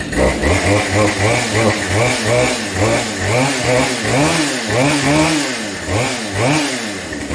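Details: Husqvarna 572 chainsaw, a Junk Pile build, running after a failed wrist pin clip ruined the top end and the cylinder was replaced: crisp repeated rev-ups about once a second, climbing cleanly and dropping back without bogging or rattling; runs healthy.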